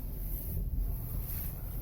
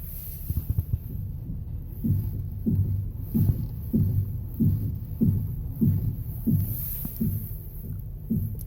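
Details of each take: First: Ford Explorer (2011-2019) after replacing front strut mounts whose bearings had dirt and sand ingress causing clunks when steering, at -5°C: steering turns with only low steady rumble, no clunk. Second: Ford Explorer (2011–2019) at a standstill before repair: dull, regular clunks, about one and a half a second, as the steering wheel is turned. The cause is debris in the front strut mount bearing from unpaved roads.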